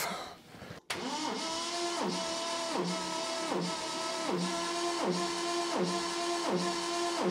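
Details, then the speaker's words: 1970 Triumph TR6 compression test. The starter cranks in an even rhythm of about three strong heaves a second. All cylinders read 170–180 psi, explaining why the starter can't turn the engine with the spark plugs in. "So that explains why we can't crank it when we have the spark plugs on. All right, so this is what the compression looks like, and that explains why the starter motor can't turn the engine."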